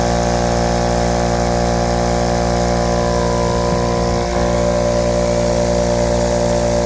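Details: Husky 516-052 33-gallon 1.7 HP air compressor (start capacitor 0.477 MF, run capacitor 49.8 uF) pumping up from 0 psi, clamp meter showing a little over 12 A. There is a loud, steady motor hum with even pumping. It usually cuts out after 30 s–1 min, at 11.39 A. Owner suspects a faulty thermal or amperage overload switch.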